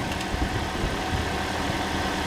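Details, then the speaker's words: Toyota engine just refitted after an engine replacement, already primed, starts easily and idles smoothly and evenly with a steady low beat, no knocks or ticks, before coolant is added and bled; normal idle. "That sounds gorgeous. Started nice and easy because it's already primed, and we turn"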